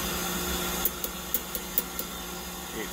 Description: On site it took me a few minutes to figure out what was going on with the nearly 100% gas bypass which turned out to be the reversing valve however in post edit here I applied a notch filter to the audio track that greatly reduced the loud humming of the compressor and now the bypassing hot gas can clearly be heard when I look into the panel where the reversing valve is located.